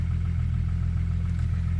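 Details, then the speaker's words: 1997 Jeep Grand Cherokee at idle: uneven, fluttering misfire felt but not shown on the rpm gauge, then the engine dies; it also backfires and cuts off; owner suspects poor computer connector contact; alternator issue previously fixed. "I felt that. You can feel it misfiring. It's not showing it on the RPM gauge, but you can definitely feel it a little bit."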